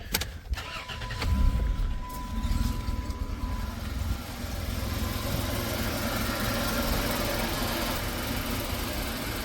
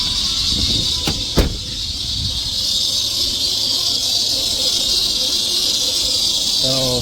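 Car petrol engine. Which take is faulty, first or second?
second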